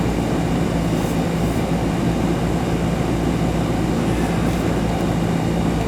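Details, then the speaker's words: Newer Ruud AC condenser after fixing a loose wire connection that had stopped the cooling; capacitor tested good. It gives a deep, constant hum with a steady low tone and fan whoosh, no clatter or buzzing. Running smoothly and cold, with good condensate flow. "sure we get a nice steady stream coming out of there let it run for a bit behind it's just a loose connection so I'm getting good good water flow out of it"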